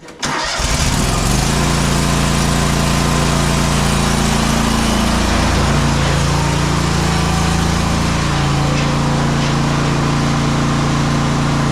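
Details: Exmark Pioneer 52" S zero-turn with Kohler KT720 twin, after repair for rough running, popping and bogging under load traced to faulty ignition coils; fires up and runs steady and even, smooth low drone, no popping or stumbling.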